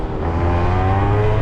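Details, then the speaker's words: Yamaha Zuma two-stroke moped with a badly gunked carburetor awaiting a deep clean; buzzy note climbs only slowly under throttle with no sharp pickup; sluggish acceleration, carburetor suspected but not confirmed. "also know something's a little off with them pretty sure it's the carburetor"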